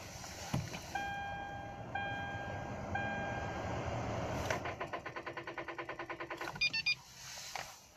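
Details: Kia Rio with its Rocket battery: a warning chime, then rapid clicking of about seven per second with no cranking. The battery is dead and too flat to turn the starter.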